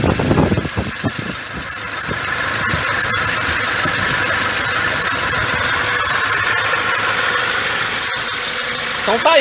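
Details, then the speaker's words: 2006 Toyota Hilux, 1KD-FTV diesel fully rebuilt after seizing, engine back from machine shop, first start: turns over, catches and settles within two seconds into steady even clatter, no knocks; clean healthy start and idle. "tá motor reparado vou ligar ele provou ele pra vocês ver o funcionamento do bichão"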